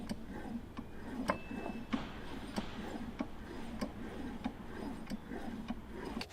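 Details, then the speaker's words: Supercharger removed from a Jaguar XK with a new coupler fitted, rocked by hand: faint light ticks, no heavy knock, a healthy coupler. "This is what your supercharger coupler should sound like."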